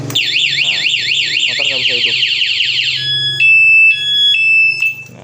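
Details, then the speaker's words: Honda CB150R motorcycle with an aftermarket anti-theft alarm: after the ignition is forced as a thief would, a loud fast warbling siren sounds, then two-tone high beeping. The bike cannot start while the ignition is tampered. "ini motor dijebol maling, motor nggak bisa hidup. Ini contohnya seperti ini. Ini kita jebol,"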